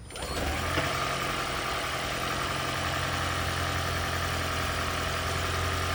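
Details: Lexus CT200h hybrid engine during EGR system diagnosis, valve set fully closed: catches and settles into a steady, even idle hum with no stumble or misfire; normal idle.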